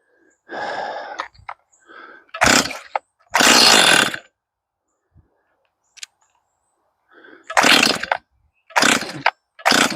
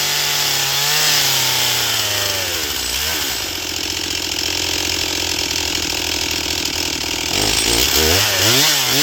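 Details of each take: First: Stihl MS241 C chainsaw with computer-controlled carb, choke-only start, first fueled start with carb empty: catches and revs in short bursts, then dies between silent gaps, won't keep running; stalls after brief runs, Seafoam to be added, cause unconfirmed. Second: Stihl MS241 C chainsaw with computer-controlled carb, after Seafoam, dull chain, cutting pine: revs cleanly, holds a strong steady scream through the cut, drops back evenly; normal full-throttle cutting, runs great on the high side, starting still problematic.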